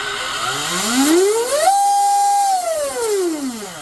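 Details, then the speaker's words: Oxidean Dominator RC boat on 8S (discharged), bench spin-up after Oxi-drive ball bearing stinger install and greasing, old worn flex cable: clean tone climbs, holds, winds down, no rattle or grinding; smooth, healthy drivetrain. "Damn, that's actually smooth sounding."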